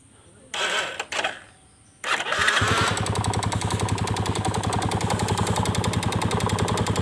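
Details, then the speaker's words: Yamaha Vega Force fuel-injected motorcycle with a new valve chain and new piston, after starting: a quick, fairly steady tick of about 3.5 per second over the idle, like valve-chain noise from the top end; source unknown. "kita kedatangan motor Vega Force yang injeksi kalau hanya teman-teman nah selalu bunyi kayak rantai klep"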